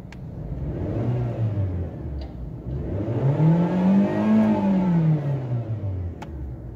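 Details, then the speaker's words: Japanese automatic Suzuki Swift that misfires at slow running and in D or R with the brake held: free rev in park climbs and falls smoothly with no stumble or misfire. "Race देने पे ठीक है, अभी ये miss firing नहीं कर रही। हाँ, रेस पे नहीं कर रही।"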